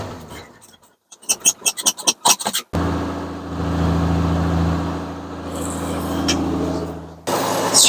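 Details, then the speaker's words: 1981 Ford F150 six-cylinder, sitting since September, started with starting spray after fitting an electric fuel pump; a few quick cranking bursts, then fires and settles into steady, even idle, no misses or odd noises. Normal start and idle. "six never lets you down"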